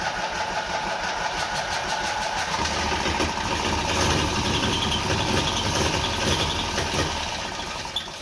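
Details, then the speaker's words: Twin-cylinder Briggs & Stratton engine on a mini bike, first start after primer splash: steady cranking with uneven firing that never catches, runs out of prime and won't stay running, possibly given too much gas. Kill switch also questioned. "We're out of gas. We need another prime. I open that truck up. Now she don't want to run."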